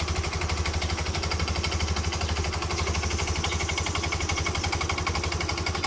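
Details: Yamaha Ego LC scooter idling after a new part was fitted on the CVT side to cure its noise: even, steady putter with no rattle or clatter from the belt drive, running normally.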